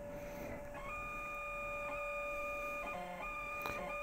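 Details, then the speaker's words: 1989 Macintosh Portable repaired after capacitor replacement and board washing, booting from a system install floppy: thin steady buzzing tones stepping up and down with quick ticking about four times a second; noisy floppy drive suspected. "Okay. Maybe it's the floppy drive that makes that funny sound."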